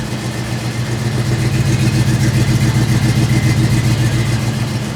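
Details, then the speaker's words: C10 truck "Crusty" V8 with a newly built custom exhaust, no gaskets and only a couple of welds per joint, so leaks were expected. Deep, even burble with steady low pulses as it revs, no rasp, rattle or leak tick. Normal exhaust note, sounds much better. "But maybe it won't sound like a dirt track car. Sounds a lot better. It sounds a lot better."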